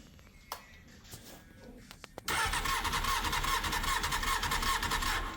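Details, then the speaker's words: 1999 Honda Hornet 600, a recovered stolen bike fitted with an aftermarket ignition barrel, cranks with a steady starter churn but never fires. There is no spark because the anti-hotwire pink wire needs a dropped voltage, later fixed with a zener diode and resistor. "Still nice. That's definitely no spark in it."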